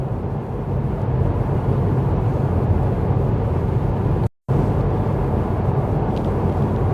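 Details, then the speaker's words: Jaguar XK at motorway speed after wheel bearing replacement: steady low tyre roar, no hum, growl or rumble rising with speed; car almost silent now, only tyres heard. Bearings healthy after repair. "So yeah, it's almost silent now, this car, at motorway speeds. It's just, all we can hear is the tyres on the road."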